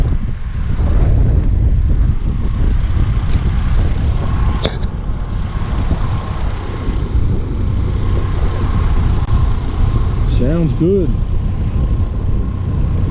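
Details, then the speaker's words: 2003 Chevy Trailblazer LTZ 4.2 I6 idling, following gasket, plug and coil repair for P0305 misfire: deep steady rumble, no chirp; the cricket-like idle chirp is gone, traced to the alternator (belt change didn't fix it, new alternator did). "doesn't have that cricket sound anymore it sounded like a cricket when it was idling turns out that was the alternator"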